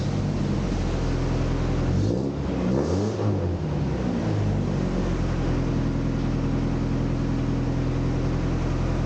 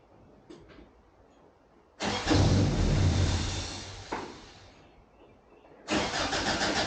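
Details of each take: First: 1988 Toyota Pickup (Hilux) after new fuel pump, fuel lines and alternator, off road about five years: steady even idle with quick throttle blip climbing and settling cleanly, no misfire; now runs. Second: 1988 Toyota Pickup (Hilux), off the road about five years, new fuel pump and fuel lines just installed but pump left unplugged: starter spins engine at a steady chug about two and a half turns a second, twice, never catches; no fuel delivery.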